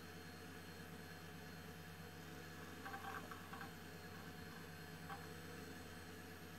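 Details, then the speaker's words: Old Highscreen Allround retro PC from an eBay classifieds ad, booting after a reset: quiet, steady fan whir over a low hum with a couple of faint drive chirps; normal PC fan and drive noise. "und jetzt starten wir noch mal ohne dass ich quatsche ich liebe diese Geräusche"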